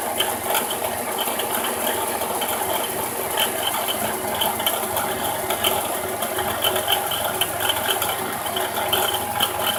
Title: 06 GRAND CARAVAN SXT 3.8l bad alternator bearing sound